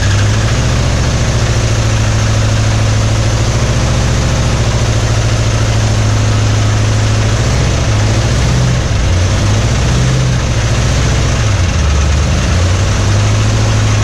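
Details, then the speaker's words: 1961 Mercury Meteor V8, first run in 24 years: deep idle hunting and stumbling under dull knock, oil pressure light on, no oil pressure; oil pump shaft under distributor found broken; new oil pump and timing chain ordered. "But yeah, it ran, but didn't have no oil pressure. I was like, what's all that noise? And it makes sense now. We found that the oil pump shaft under the distributor was broken."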